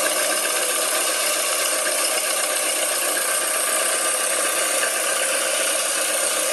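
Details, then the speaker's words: Peugeot 207 1.4 petrol engine, cold: a fast, steady metallic rattle from a slack timing chain. "Donc, voici le bruit d'une chaîne de distribution qui est détendue, donc à froid. Écoute le bruit. C'est sur le même moteur, hein."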